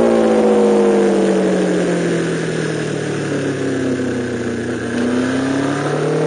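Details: MV Agusta F4-750 on track: engine note sweeps down and up with speed, with an uneven stutter under load. This is its chronic misfire.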